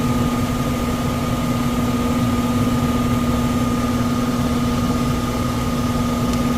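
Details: 1999 HVAC unit, about 25 years old: worn blower motor gives a constant loud hum with a rough shaking undertone, visibly vibrating; tech recommends replacing the blower motor.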